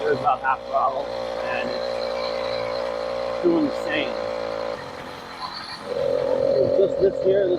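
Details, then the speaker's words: 80cc two-stroke motorized bicycle, warm, on a test ride: a buzzy drone that dips and picks up unevenly; better than before but still lacks power, and more jet changes are planned. "oh um it's definitely better than it was no doubt it's still not right"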